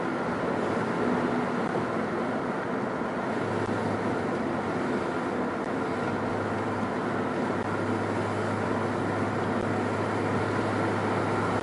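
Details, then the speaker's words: 2004 Nissan Quest under way: cabin drone, then a metallic buzzing grinding rises when accelerating to about 2,000 rpm; per a Nissan bulletin, likely cracked front and rear exhaust support brackets. "I found out found out that there's actually a PSP from Nissan that talks about the front and rear support bracket that holds the exhaust that may be cracked"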